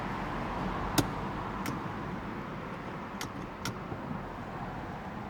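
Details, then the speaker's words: 2009 Mercedes C300 that won't start, a common issue; battery, fuses and starter relay checked good and the radio works. Key turned: two sharp clicks, then no starter whir or cranking. No-crank condition, cause not yet shown. "I got this Mercedes C300 2009. Won't start. It's a common issue."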